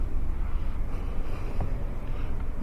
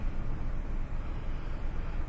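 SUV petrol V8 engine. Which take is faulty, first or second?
first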